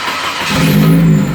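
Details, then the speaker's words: 1970 Opel GT 2.4L with Motronic fuel injection reinstalled after a failed aftermarket setup: fuel pump primes, engine catches at once and settles into an even, steady idle; normal start, small front noise suspected from loose alternator. "holy holy cow it started right up"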